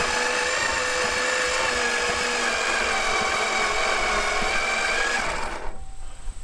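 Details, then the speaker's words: Abandoned 1970 Plymouth Satellite, sat 35 years, first start attempt with ignition hooked up and one old plug on a wire to check spark: the whining starter drags the engine slowly over compression, a few labored pulses, then stops. Weak starter, slow cranking. "that is a potato of a starter wow that's what he said it cranks slow all right let's try it again"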